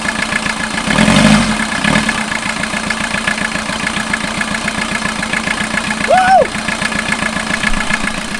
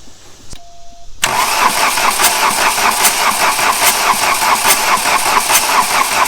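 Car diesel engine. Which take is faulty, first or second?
second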